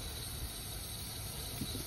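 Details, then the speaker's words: Kia Soul leak-down test on low-compression cylinder holding only about 30% (70% leakage), engine off: steady hard air hiss escaping from the crankcase breather, piston ring blow-by, possibly masking intake valve leakage. "oh yeah I take that back there's a lot of air coming out of that crank case foreign so that might have uh disguised our intake valves"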